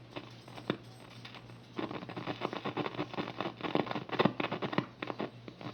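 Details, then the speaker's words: National NC-2-40D tube receiver, tubes not yet tested, one pilot light to be rewired: only irregular crackles and sharp pops over a faint low hum, with no station or audio coming through; receiver crackling static, no reception. "It's just crackling and making crackles and pops is all it's doing right now. Hear that? It's just hear a bunch of static."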